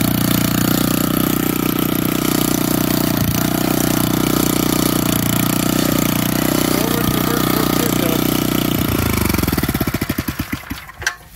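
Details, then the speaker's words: Old auction-bought Montgomery Ward tiller in neutral, restarted without choke: the single-cylinder idles evenly with a steady thump, then winds down smoothly and stops. Normal idle. "all right one neutral I just started it so I don't think it needs any choke"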